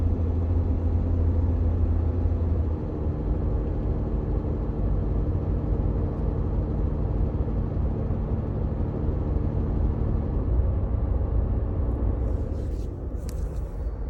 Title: Under dash engine noise 4Runner